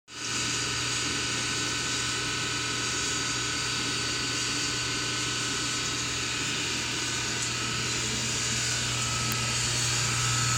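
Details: SPT countertop dishwasher: loud, steady whirring grind with a low hum throughout the wash cycle but not while draining. It seems to come from the back left bottom. The screen, filter and hoses were already cleaned and dishes still come out clean; the cause is unknown.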